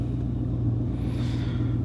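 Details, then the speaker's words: 1999 Chevrolet 1500 with 5.3 V8, shortly after starting following crank-no-start repair: brief steady low idle rumble with even beat, no obvious misfire, starting to run better and settling; normal idle. "starting to run a little better automatic ID there we go"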